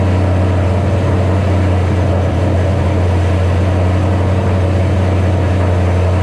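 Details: 2007 Ford Shelby GT500 (supercharged) on first start after L&M NSR cam install with Venomous Tuning tune: loud, steady, fast drone that never settles; idle set far too high on initial start, later brought down by a tune revision.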